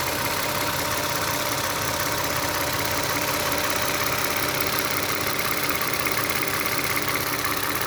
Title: Clicking sound of engine, this sound just started June 13th. Prior engine tight and silent.